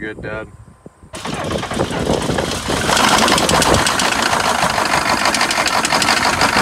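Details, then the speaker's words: GMC Suburban 6.5 L diesel, bought unseen, seller said it runs rough and smokes, first start on trailer: catches and settles to rough idle with uneven ticking knock over clatter on one side; cause unknown, owner may pull engine. "yeah so you heard the engine running when i fired it up for the first time there on the trailer uh it sounds like on that side there's a kind of a tick or a knock or something so i'm going to have to deal with that right now"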